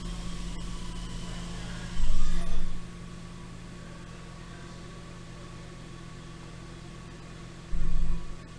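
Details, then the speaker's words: Genesis GV80 V6 turbo at first startup after replacing multiple failed GDI injectors and all six spark plugs, not yet warmed up: even, steady idle with two brief louder bumps, no misfire counts; running smooth. "so far I'm happy that during first startup um so far it's running smooth and like last time I was right away it has a misfire"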